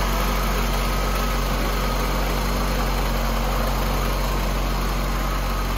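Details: 1988 VW Cabriolet, Bosch CIS injection, after fixing a loose ground wire to the idle stabilizing valve that caused rough cold idle: steady, even idle with a smooth low beat, no stumbles or misses; normal idle.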